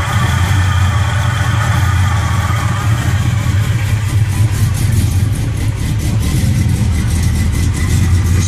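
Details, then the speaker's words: 1969 Impala V8 with fresh heads, cam and gear-to-gear timing chain: deep, loud, even idle with a choppy cam lope, smooth with no knocks; normal idle with performance cam lope. "Just wanted y'all to hear it, man. Cam, you can hear that cam though."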